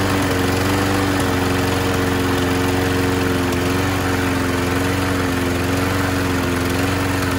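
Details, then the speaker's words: 2001 Scott's by Murray self-propelled FWD mower, Tecumseh OHV engine, after carb clean/swap, new air filter, fuel line, sharpened blade: loud but steady, even drone with no surging, misfires or knocks; it runs properly. "The self-propelled does work. I'm not gonna start it up again. It is kind of loud, but it does work."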